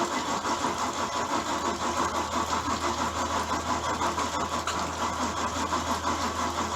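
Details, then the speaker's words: Bayliner boat V8, cold weather, after dead battery; labored uneven cranking at roughly three beats a second without catching, failing starter dragging the engine over. Slow cranking, failing starter. "Alright, so we had a dead battery, and it sounds like the starter's going out, but we finally got it running."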